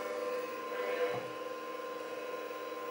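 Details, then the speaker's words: Old IBM Personal Computer hard drive spinning up: steady spinning whine with a rough scraping rasp, suspected heads scraping; the drive still initialises and boots, though noisily. "i'm hearing something but it does sound like it's scraping the heads which is not a good sound uh let's see whether it initializes or not yeah that's definitely not sounding like a good sound there sounds like something scraping"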